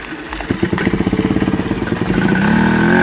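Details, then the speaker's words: Babetta 210 moped revived after 15 years in a barn: putters about 3.5 beats a second then rises into a steady buzzing pull moving off; not very fast but runs fine. "No moc nejede, ale jede. Dobrý, jo?"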